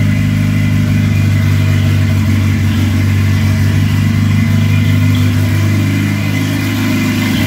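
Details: Ford Escort with turbo, R1000 injection and wideband, first start after fitting: steady, even low idle holding its pitch with no misses or knocks; oil level fine; engine healthy and settled.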